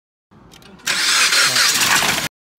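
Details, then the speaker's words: Engine started with a full cooling system and the radiator cap off: a loud hissing rush as combustion pressure forces coolant violently out, then coolant boiling and vapor rising from the cap neck. Points to a blown head gasket leaking combustion gas into the coolant. "the pressure from the combustion chamber is what forced to cool it violently out like this and as the engine keeps running you can hear the coolant boiling and you see the vapor coming out of the radiator cap neck so that suggests that this has a blown head gasket"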